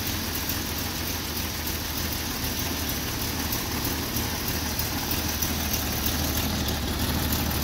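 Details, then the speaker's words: Free Jeep engine, compression earlier about 75 except the last two: idle chugs unevenly, rising and falling instead of a smooth beat, base temperature just above 60, no codes; rough idle, cause unclear. "you can see the rpm is so it's just kind of chugging around like it's i don't know what the deal is"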